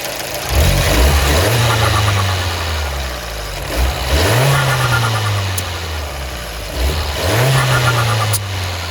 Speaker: so you can see it's even worse it barely vented the first time it actually didn't vent at all and i gave it enough throttle that it should have and the other two it barely vented at all